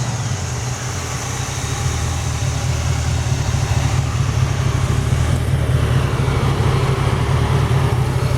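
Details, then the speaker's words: 1931 Ford 5W coupe hot rod, 289/302 Ford V8, C4 automatic, electric fuel pump, started instantly, cold not warmed up: deep steady even idle, no lifter noise or ticking, no smoke; normal cold idle. "It's relatively cold right now. It's not even warmed up. It sounds great. I didn't hear any kind of lifter noise or anything like that."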